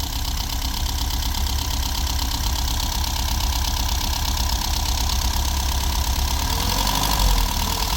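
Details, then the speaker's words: VW Golf V Plus 1.4 TSI turbo, first start after 2–3 years sitting, engine repaired after slipped timing chain let valves hit pistons, booster on; uneven lumpy idle with loping thumps, as if a cylinder misfires; not running perfectly, cause unconfirmed. "after two or three years it's not running perfect but it's running"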